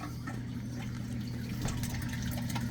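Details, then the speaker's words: Home aquarium: steady rushing and splashing of water over a low pump hum as water pours into the overflow because the valve is opened too far. "and there's the water coming out so I'm going to close this I'm going to open it half turn and it takes just about as long to write sizes so that's the Overflow"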